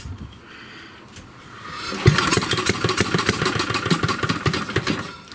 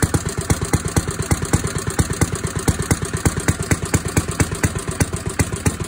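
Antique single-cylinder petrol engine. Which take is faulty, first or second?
first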